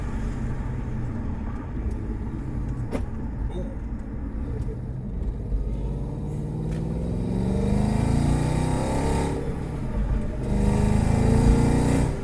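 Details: Audi B6 S4 4.2L chain-driven V8, rebuilt, driven gently while breaking in a brand-new clutch and flywheel: pulls smoothly under light throttle, note rising evenly with speed, no knocks or rattles over road noise; normal acceleration.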